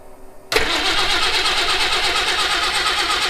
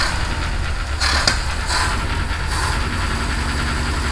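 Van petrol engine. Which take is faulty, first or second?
first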